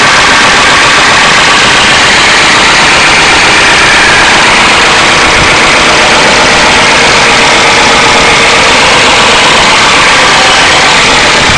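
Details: 1992 Ford Crown Victoria 4.6L at steady idle: loud, harsh, upper-pitched clatter with no clear beat; owner suspects low oil pressure and plans to replace the oil pump, cause unconfirmed.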